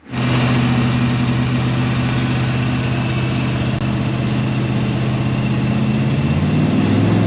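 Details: 1970 Chevy C10 with a 327 small block and HEI distributor, after correcting the distributor position and ignition timing: the engine catches at once and settles into a steady, even V8 idle with a low rumble, no stumble or misfire.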